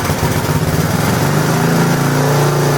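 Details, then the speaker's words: Small single-cylinder generator engine, warmed up, after repairing an exhaust valve that wasn't closing (also new gas, plug, carburetor): steady even drone at governed speed, no misses or hunting, starts with one pull; normal running. "Okay, I believe this is a success because once it's warmed up, it starts to run at the right speed. It isn't so rough."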